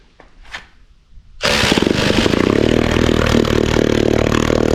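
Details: 1938 Neptune 1A38 1.2 hp two-stroke antique outboard, water fitting removed to check cooling circulation: it catches on the first pull and settles into a quick, even buzz with steady firing and no stumbling. Runs normally.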